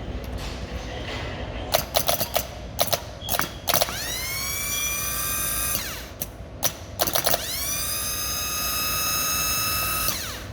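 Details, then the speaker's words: 2014 Audi A8 starter (242k km), bench-tested on a battery after reassembly: two runs each spool up in a rising whine to a steady high spin and cut off cleanly; normal starter free spin. "sounds good sounds all right not bad not bad done with the starter finished ready for installation now"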